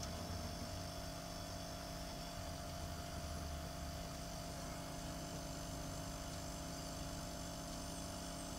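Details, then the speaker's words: A Frigoboat fridge's Danfoss/Secop compressor runs in test mode with a new Secop controller (101N0212) and a Merlin II automatic speed controller. It gives a steady low hum with a constant whine, even throughout: normal, smooth running after the repair. "and the green light is showing speed and you can hear that the compressor is running yay"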